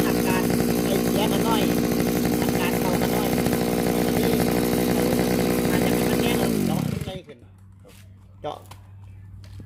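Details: Small two-stroke grass trimmer engine after a home carburetor cleaning: a high, buzzy note holds steady for several seconds before it shuts off cleanly. It runs fine now.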